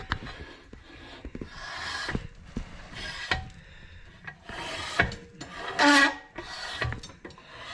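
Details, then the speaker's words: REO Trikeabout build, newly installed rear disc brake and caliper bracket; soft scraping swish with each slow wheel turn as pads lightly rub the rotor, expected to wear in. "it's got a disc brake on it that works you can hear it's just rubbing on the rotor a little bit it'll wear in"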